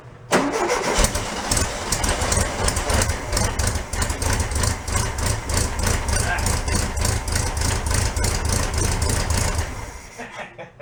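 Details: 1968 VW Beetle barn find, air-cooled, sat 5 years, float bowl hand-fed fuel, carburettor dripping gas: starter turns briefly, engine catches and runs with uneven throb for several seconds then fades out; fuel lines suspected needing replacement.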